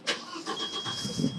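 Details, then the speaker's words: 1991 Audi 90 20v quattro, starting after a new fuel filter and fuel priming: a short crank catches with a sharp burst and settles into a quiet, even run. Normal start. "There it goes. Okay."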